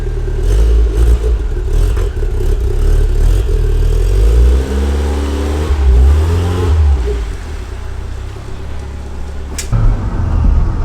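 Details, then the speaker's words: Turbo Toyota MR2 with the downpipe refitted and the engine right behind the cabin, no back window, warming up: revs pull up smoothly, then fall back to a low rumble with no rattle. It hits 5 psi boost. Normal turbo acceleration. "Alright guys, so I think we got some boost back. Haven't done a pull yet, but oh yeah, we hit 5 pounds. And you can hear it too."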